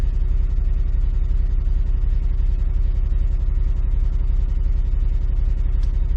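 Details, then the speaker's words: V8 tow truck at idle after all eight plugs and coils replaced (had melted two cylinder 5 coils): uneven, loping stumbling pulse about three beats a second with bad vibration, no check engine light; misfire persists, owner suspects wiring harness. "it's still misfiring I can feel vibration in the truck so still definitely got a"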